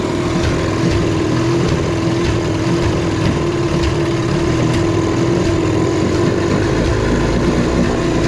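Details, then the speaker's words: 1973 Evinrude 18 hp outboard on a 14 ft aluminum boat, first run: a buzzy running note with an uneven, stumbling beat where firing pulses drop out; misfire, cause not yet found. "sounds like it's missing quite a bit but at least it runs good and we'll figure that miss out"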